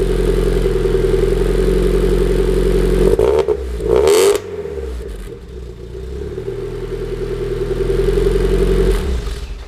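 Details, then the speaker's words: 1991 Mazda Miata start-up after replacing a temporary test pipe with a new catalytic converter and new gaskets: settles into a steady, even idle with a soft, low exhaust note and no ticking or rasp; much quieter than before. "If y'all knew what that sounded like before, then y'all would agree that that's much quieter."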